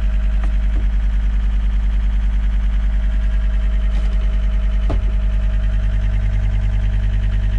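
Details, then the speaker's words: John Deere tracked skid steer (believed 329D) after releasing the park brake: rapid, regular low beeping about three per second, warning that the left joystick is not reading centered; code 920.05 EMU present, cause undiagnosed. "okay so it's saying left joystick not in Center so it's fussing about this joystick"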